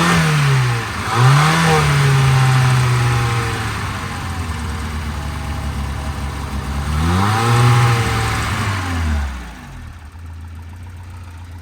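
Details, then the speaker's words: 1992 Volvo 940 wagon revived after sitting, radio suppression relay bypassed, airbox off: the engine revs up cleanly twice and drops back to idle with no stumble. There is a slight misfire but it runs well. "I feel like that's a running motor. Ladies and gentlemen. A little bit of a misfire. Actually, that sounds really good."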